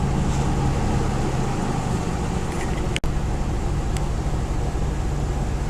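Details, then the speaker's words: 1988 Chevrolet S10 Blazer after replacing rusted original muffler and welding pipe: steady even low exhaust rumble, no rasp, rattle or puffing, quiet like factory; normal exhaust note. "I'm happy with the way it came out it sounds nice like the original factory exhaust nice and quiet"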